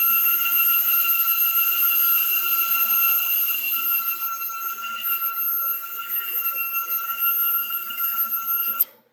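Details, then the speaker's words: CNC axis stepper motors removed from chassis and run free: clean steady high-pitched whine with no rubbing or excess friction, then abrupt stop; motors and electronics healthy. "now you guys got to hear exactly what those motors sound like that sounded perfect in comparison to when they were mounted on the chassis"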